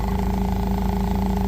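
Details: Toyota 8FGU25 propane forklift, after oil pressure sending unit replacement: steady, even idle with a smooth low hum and no knocks, misses or rattles; the engine runs healthy.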